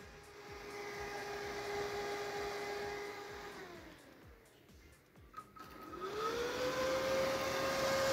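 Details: Replacement 24V fan for a refrigerator not cooling the lower section, bench-powered: one fan winds down, then the new fan spins up to a clean, steady hum with no rattle or scrape; the old fan was defective.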